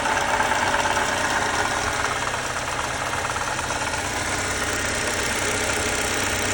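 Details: 2018 Lexus IS 300 at idle: steady high whirring hiss over an even engine note; worn water pump bearing suspected but not confirmed.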